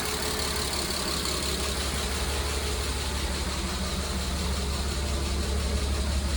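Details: Mercedes W202 C280, M104.941 inline-six, 193k km, on 10W40 with lifter additive: light, fast tick about three per second at idle, present from start-up and tracking revs; owner suspects lifter; timing chain, tensioner, head gasket previously replaced.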